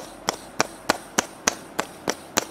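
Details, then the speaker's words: Counterfeit new timing belt tensioner pulley from a Renault 16-valve timing kit spun by hand, sharp regular clicking, rough noisy bearing, unlike the genuine part. "натяжной ролик и если покрутить он шумит новый поддельный ролик ну очень грубо работает уже он уже шумит"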